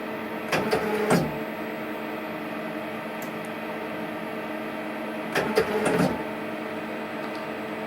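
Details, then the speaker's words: Hardinge CNC turning centre turret after strip-down and reassembly: steady motor hum with a clunk-and-whirr cycle about every five seconds as the turret keeps indexing round instead of stopping; owner suspects the hydraulic control valves/solenoids in the turret top. "uh-uh yeah now it shouldn't be spinning round and round and round like that but it has always been a bit [Music]"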